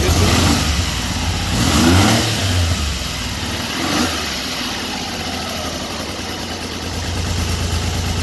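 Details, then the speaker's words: 1974 Triumph Trident after fixing a failed-coil misfire, started indoors in cold weather. Three throttle blips then a steady idle, revs rising and falling cleanly with no stumbles or cutting out: normal revving. "Running beautifully. Yeah, it is. It's running beautiful."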